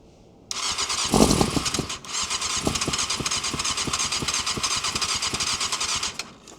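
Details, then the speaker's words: 1998 Yamaha YZF600R Thundercat sitting since 2013, compression and spark confirmed: starter labours through a sluggish, evenly spaced beat, about three compressions a second, then dies without firing; slow cranking, cause unconfirmed. "I think she's had it. I think she's done. She's worn out. Bless her."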